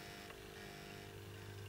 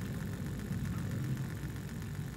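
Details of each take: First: Trix Collett 5600 model locomotive, with the undercarriage and wheels removed so only the worm drives the idler gear; the small motor hums with a strained, labouring whine and no free spin-up: the idler gear is binding and tightening up. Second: Trix Collett 5600 model locomotive being rebuilt, wheels held in with the base plate, after metal debris was removed from an idler gear tooth, run on a small voltage; low, even whirr with steady pitch and no grinding: motor runs fine.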